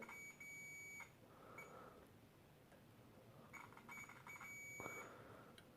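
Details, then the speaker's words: Philips Brilliance 220SW (HWS9220I) LCD monitor, May 2009, backlight fault: multimeter continuity beeps across a capacitor near a CCFL high-voltage transformer, reading near short; capacitor suspect, fault not yet fixed. "noticed that basically this capacitor here which is located near the one of those high voltage transformers that drives the ccfl tubes that it beeps yeah so you can hear that it beeps so it means it has to be in short circuit"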